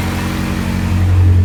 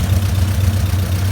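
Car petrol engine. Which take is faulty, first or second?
second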